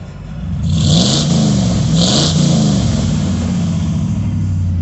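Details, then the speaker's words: Ford Bronco at idle; engine note surges and sags unevenly, stumbling and idling down abnormally; owner suspects tampering, cause not confirmed. "oh let me tell you see here at idle like that that's not rigged that's not normal my truck doesn't idle down like that make that noise right there ain't like all my vehicles guess what see here here stumbling my truck doesn't do that my truck doesn't stumble like that unless something's been done to it"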